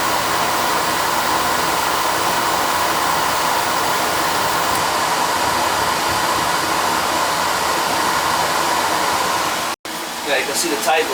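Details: Boiler burner firing on a call for heat after a loose 110 V ground was found, suspected cause of intermittent faults: a steady, even rushing roar with no pulsing, rumble or popping; firing normally.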